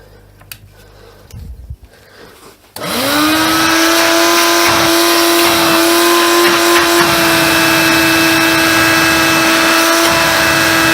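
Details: Hoover Convertible/Dial-A-Matic U1124A upright vacuum after quick fix, turning better after flushing dirt out, suction tested; click, spin-up to steady high whine with clean, even airflow rush. Normal running.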